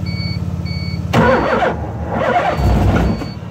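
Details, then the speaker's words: LH6 5.3 V8 in a 1986 RX7 with a Holley Terminator X 24x/1x system; flipping the cam sensor wires made no difference. The starter churns, the engine catches roughly for a second, then falls back to cranking. No start; owner suspects the 4-gauge starter power wire is too small. "well sort of fired up for a second we'll try that one more again i guess it's it's one two man it's it's right there at wanting to start see it just doesn't"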